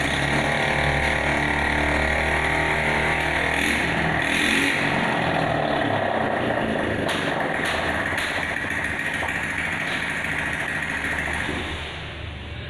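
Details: Honda Scoopy 2021 scooter after full engine teardown and reassembly for rough noise: smooth, even idle around the standard 1600-1700 rpm with steady beat and no knocking or rattle; engine sounds healthy.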